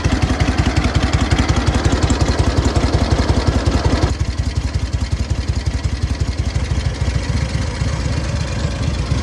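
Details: SOKÓŁ 1000 motorcycle after full rebuild, briefly warmed; even steady beat at fast idle, no howl, grind or knock from the 12V generator; runs clean and healthy.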